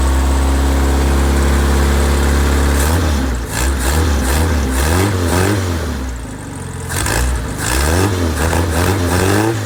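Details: Freshly rebuilt engine FM95049UCE, good compression, oil pressure and water temperature: steady even idle, then clean quick rev blips rising and falling smoothly, no knocks or misses; healthy and ready to go.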